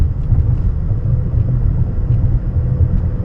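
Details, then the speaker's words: 2013 Nissan Altima, almost 200,000 miles, test drive at about 40 mph: deep steady drone that grows when turning right, from a worn driver's side front wheel bearing. "And left, I don't hear much, but right, I can hear sounds like humming increasing, and I know it's from the driver's side because it's right here."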